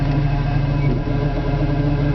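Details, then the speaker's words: Four-wheel-drive Jeep: quiet in park and in gear while stationary, but once moving a steady low drone and rumble sets in, described as a grinding-like noise; drivetrain cause not yet identified. "once you start moving it makes that horrible grinding noise not a grinding noise more of a uh I can't explain it"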